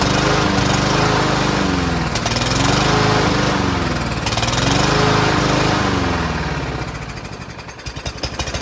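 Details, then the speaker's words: Troy-Bilt TB110 push mower, Briggs engine at full throttle after carburetor cleaning: speed swells and sags about every two seconds, briefly cleared then surging again; owner suspects old yellowed gas and debris; engine surging. "so if there's any debris it might clear itself out which you saw it kind of doing it wasn't surging for a bit looks like this thing is popping back out again"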